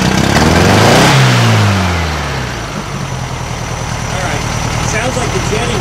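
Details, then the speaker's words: 1956 VW Beetle engine with NOS Solex 34 PICT 3 carburetor (replacing dual Weber 34 ICT), after carb diaphragm replacement: revs up then sags and falls back, running rough and uneven; acts like a massive vacuum leak, none found, sounds fuel-starved; carb swap later cured most problems. "just sounds like it's not getting enough fuel"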